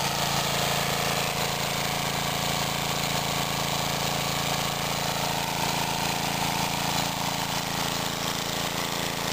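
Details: Mid-1950s Clinton 3 hp single-cylinder engine belt-driving a 110 V 60 Hz AC generator, after a one-pull cold start: steady even thumping with no misses or knocks; normal running.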